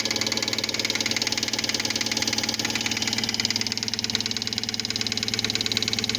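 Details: Fiat Palio Fire 1.0 8v 2005 after oil, timing belt, tensioner and spark plug change: sharp regular metallic knock about 220 a minute at idle, like rod knock; a spark plug electrode fell into the cylinder head.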